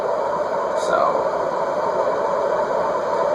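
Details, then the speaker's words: Contech 56" industrial ceiling fan from around the late 1980s, cast iron motor, running on the bench with a new 9.5 µF capacitor (the old one measured 9). It makes a steady, rough whirring rush from worn, flaky motor bearings; loud, but others have been louder. "can hear the bearings I mean we've had worse the we've definitely had louder bearing fans"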